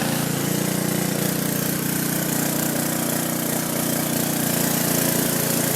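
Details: Free roadside MTD push mower: small single-cylinder engine running at a steady, even speed with a consistent exhaust beat; sounds healthy and smooth.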